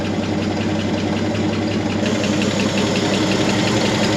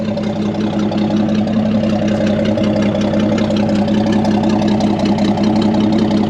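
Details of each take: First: Chevy C30 pickup with an inline six, off the road since 1978, first running again with good oil pressure; light, quick valvetrain tapping keeps pace over a steady idle. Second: Chevy C30 pickup off the road since 1978, inline six, first run: smooth, even, tappy idle with no knocks or misses; good oil pressure, charging, and the belt flaps slightly; healthy.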